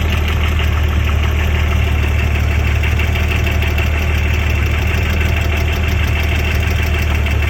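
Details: BMW M50 2.6 stroker engine at steady idle: a dull, slightly uneven knock rides on the engine note. Engine knock, cause unknown.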